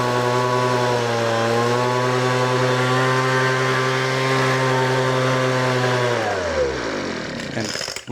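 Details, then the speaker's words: Weed Eater FB25 25cc two-stroke leaf blower that started after pulls on full choke, then switched to half choke; steady high buzzing note holding even speed before winding down smoothly, running normally. "All right, so it started one of the starts, so we'll go to half choke."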